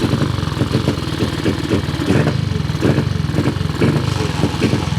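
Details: Cub motorcycle small single-cylinder engine started after reassembly, checked for oil leaks; steady even thumping beat with regular pulses, no knocks or misses: normal running.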